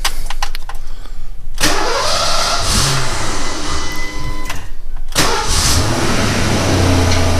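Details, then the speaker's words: 1991 Ford Mustang GT Foxbody V8 true cold start after throttle body cleaning overhaul: short crank, catches cleanly, settles into a smooth steady fast idle with no hunting; previous idle hunting fixed. "so far so good let it idle down here a little bit well that's a heck of a lot better than what it was before i'll tell you that much yep that fixed it"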